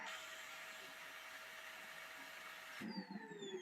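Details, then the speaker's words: Vacuum cleaner (Hoover Spinscrub or Kenmore) runs with a steady even hum, then something triggers a sudden change to falling whistles and uneven bursts; intermittent abnormal noise, cause not yet traced. "Okay, so it runs like normal, and then something triggers that."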